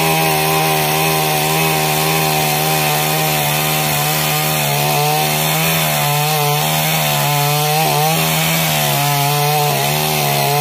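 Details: Stihl MS 382 chainsaw after no-start fix: strong, even two-stroke buzz holding steady pitch, dipping slightly under cutting load; runs cleanly and healthy.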